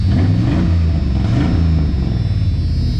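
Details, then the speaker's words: Dodge with a no-start, after a new crankshaft sensor: the engine catches after a fairly long crank with a short rev, then settles into a steady low idle rumble with no misses, starting and running properly. "Doesn't sound too bad either."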